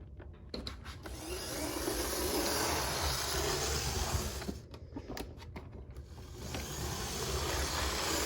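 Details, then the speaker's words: Used model train locomotive from a bulk lot, one of the roughest, with flickering lights: small electric motor whirs steadily with light wheel clicks on track, speeding and slowing evenly without stalling; runs normally. "huh well that's surprising no problems I think this one's gonna go"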